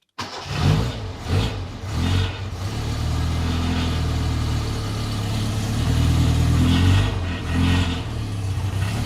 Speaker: exhaust is rattling because i forgot to fit in proper but it sounds nice sounds real nice